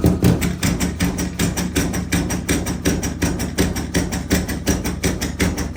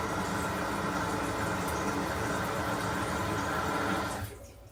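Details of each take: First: Water hammer in bathroom sink and toilet plumbing at about 60 psi: rapid hollow bangs about three a second as water is turned on, a shock wave through the pipes. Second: Bathroom toilet at about 60 psi after fitting a water hammer arrestor vertically on the 3/8 supply valve: steady rush of flushing and refilling water stops cleanly, no bang or knock in the pipes; normal flush and refill, no water hammer.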